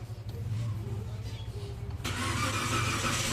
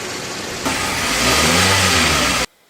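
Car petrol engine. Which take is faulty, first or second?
first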